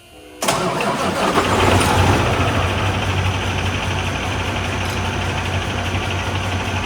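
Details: Kenworth W900 diesel after new head and injectors fitted, first crank: catches then idles with an uneven, stumbling exhaust beat that never settles, as if a valve is leaking; a cylinder misses.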